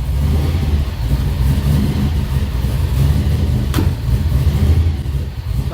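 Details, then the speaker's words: 1955 Chevy, cold start after sitting a couple of days and after recent adjustments, coolant only 78 degrees; low idle swells and sags, surging while cold with throttle position not yet set. "You can see she's surging a little, but she's cold. She's only 78 degrees."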